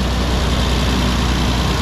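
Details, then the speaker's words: Car started cold after sitting a few days, owner says valve clearances badly need doing: steady idle with a light, fast ticking over the engine note, valve clearance tick; otherwise runs smoothly. "five o'clock as you can the valve clearance is definitely doing that's an easy job"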